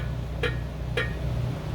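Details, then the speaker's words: EcoBoost Ford Transit transmission install, flywheel rocked by hand before tightening the bell housing: two sharp metallic clinks about half a second apart, the torque converter moving freely, confirming it is fully seated and the transmission pump is safe. "that's because when I jerk the flywheel, the torque converter actually kind of clinks back and forth. That means the torque converter is fully seated in its home, and when you tighten it down to the bell housing, you're not going to screw up the transmission pump."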